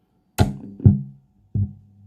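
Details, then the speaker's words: Budget amplifier driving a 6-inch subwoofer, heard at switch-on; dull low thumps from the sub, each fading within about half a second, an annoying turn-on pop. "so when you turn it on it makes a popping sound so listen"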